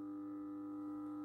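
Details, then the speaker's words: MAZDA Coccinelle street lantern, 1988-1996, 125W E27 mercury lamp, 220V 50Hz, ferromagnetic ballast with capacitor, at switch-on: steady low electrical hum, no buzzing or crackle, as the lamp warms; normal ballast hum. "Alors là, on entend bien le bruit du ballast déjà."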